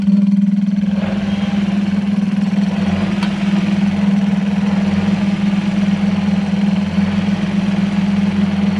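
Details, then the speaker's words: Supercharged Toyota 1UZ-FE V8 swapped into a Hilux ute, first start: steady smooth idle with about six bar of oil pressure, running without coolant (water added). "oh it runs it runs it's good it's as long as it's got all pressure on the link we're all good"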